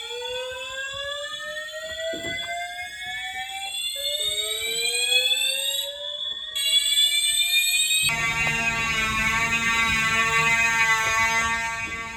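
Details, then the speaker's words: Building fire alarm evacuation signal heard during the morning evacuation; loud rising whoop sweeps repeat about every two seconds, then a steady pulsing high tone; described as scary and loud. "Well, this is just a little bit scary. Just a little scary. It's kind of loud."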